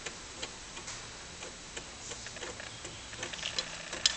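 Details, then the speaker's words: Amiga 500 (about 25 years old, Workbench 1.2) floppy drive loading a Fun School 2 test disk: quiet, irregular dry clicks and ticks as the head steps; slow but normal, healthy drive operation. "Not the fastest loading disk in the world, but it does demonstrate that the disk drive is working as it should"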